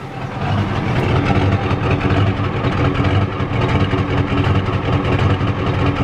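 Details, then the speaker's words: 1993 Ford F-250 XLT 7.3L IDI diesel, sat about a year, weak battery: lumpy, uneven clatter and shake at idle; rough running, owner suspects it's out of time and the injection pump needs replacing. "not running too good guys it's out of time that's for sure"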